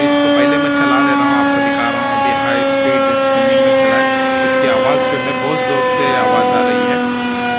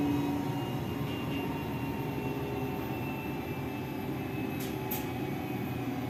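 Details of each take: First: Lavamac commercial washing machine during spin, before the drum-versus-induction-motor bearing check: loud, steady high whine with a layered tone shifting slightly as the drum spins fast. Bearing noise. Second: Lavamac washing machine that gave a loud spin noise (drum bearing suspected), belt reattached to main drum, 220 V supply: steady, even hum with faint constant whine, no knocking or rumble; normal spin at normal speed.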